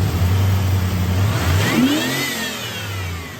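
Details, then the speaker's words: 1989 Pontiac Trans Am GTA 5.7L TPI V8, about 35,000 miles, AC off: restarts and revs smoothly up and back down with no stumble, showing it gets fuel. Yet it stalls in gear with AC on. Normal free rev. "I'm going to start it up with those things off, and I'm going to show you that you can rev it up. It has no problem restarting and revving up."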